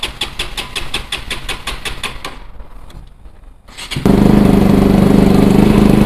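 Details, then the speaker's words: Bajaj Pulsar NS200, idle about 3 months, after battery replacement, petrol added and the water-carbonised kill switch cleaned: a few cranking pulses, a short pause, then it catches and settles into a steady, even idle; normal start. "तो दोस्तों bike हमने start कर लिए bike में जो problem हो रही थी वो मैं आपको बता देता हूं"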